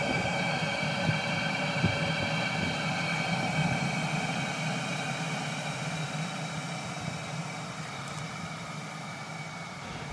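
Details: Cheap Chinese 12 V diesel heater on its hottest setting, batteries about 11.5 V. Smooth, steady fan whir with a soft low burner roar, no surging or clatter; running normally at full heat.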